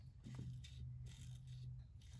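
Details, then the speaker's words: VW Mk7 front strut compressed by hand at full droop before a B14 coilover install: soft, wet squelching bursts with no firm resistance, like macaroni and cheese; the strut is blown. "It's not supposed to do that. Yeah, it shouldn't sound like a bowl of macaroni and cheese when you compress your front suspension. That's blown."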